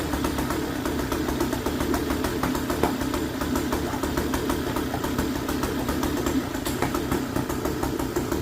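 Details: Hangkai 3.5 hp two-stroke outboard, previously run without gear oil and tested to see if it survived: rapid, even buzzy putter at idle, possibly on too much choke, with no knocks or grinding; running normally again.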